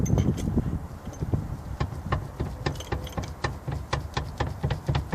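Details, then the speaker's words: BMW E36 with a recently rebuilt rear suspension and adjustable camber arms: uneven, rapid clunks about four a second at low speed, traced to the rear lower control arm. Bushes and connections were checked, so the cause is unconfirmed. "sound coming from lower control arm. Top, nothing. And sounds coming from there."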